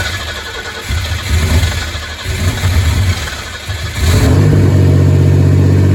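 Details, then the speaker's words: Z24 turbo 3400 engine, plugs gapped 0.035, very first start after a year of work: cranks, catches about four seconds in, holds steady idle noticeably high; owner unsure, possibly a vacuum leak. "Obviously, she's idling high. I don't know if I got a vacuum leak somewhere, but that's okay."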